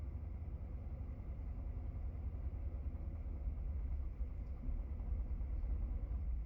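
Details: 2017 Ford F-150 5.0 V8: muffled, deep idle that lumps and wavers unevenly; rough idle and stalling, cause not pinned down.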